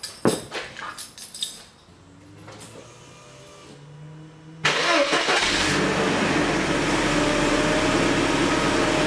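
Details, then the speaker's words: 1990s–2000s Mercedes secondary air injection after fitting a new pump and a replacement relay: clicks, then a steady even whirring drone; secondary air pump working normally. "that that's the sound of a working secondary air injection system"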